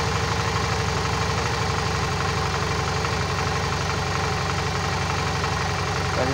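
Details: Suzuki DL 650 V-Strom after cleaning the clogged high-pressure fuel filter and fixing the loose pump positive wire: steady, even V-twin idle with a regular low pulse and no stumbles; fuel pressure at working level.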